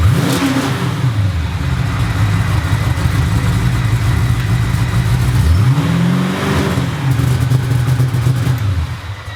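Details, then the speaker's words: Homemade stainless X-pipe exhaust with mufflers open straight out the back, no tips yet: deep, smooth V8 burble swinging cleanly up and back on two blips, no ticks or rattles; loud, healthy exhaust, a faint water pump or alternator sound beneath it. "I think I'm pretty happy with it still calm loud"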